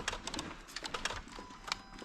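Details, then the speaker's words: Dodge Ram with no-start and running issue (coughed once while running): sharp, irregular relay clicks in quick bursts while the TIPM fuse/relay module is wiggled with engine started, dash then flashing security light; TIPM internal corrosion suspected, not confirmed. "I'm just going to start it with it up here and wiggle it around and see if there's a glitch you can hear stuff clicking when I'm wiggling this"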